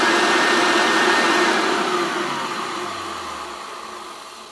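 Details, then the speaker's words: Hoover Turbopower Junior U1100 upright vacuum after strip-down and reassembly, height set to full: smooth airy whine with an even tone, loud bag airflow, falling away steadily as it is switched off; normal healthy running. "amazing absolutely amazing now I can actually the most noise I'm getting is the amount of airflow that is coming out from this bag"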